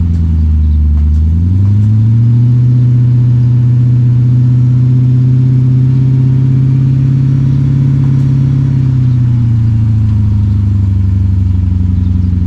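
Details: 2006 Dodge Magnum, center suitcase muffler replaced by two pass-through Magnaflow mid mufflers, tailpipes not yet hooked up: deep loud drone climbs with revs, holds steady, then drops back to a rumbling idle; open exhaust.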